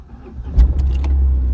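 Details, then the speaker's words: Tata Nano that had sat parked for several days starts first time on the key: brief crank, then catches at once and settles into a steady low rumble; clean, healthy start, though owner then suspects the clutch plate is gone. "First class start होती है गाड़ी एकदम एक number. मतलब जैसे ही चाबी घूमती है ना तो गाड़ी मस्त स्टार्ट हो जाती है।"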